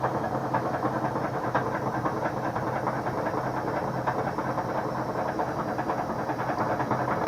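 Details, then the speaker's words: Kenmore HE2 stackable front-load washer on high-speed spin: rhythmic thumping about twice a second over a rough rumble as the inner drum slaps the outer tub; cause is a broken spanner on the back of the inner tub. "slap from the outer tub that you're hearing here in the air tub slap the outer tub"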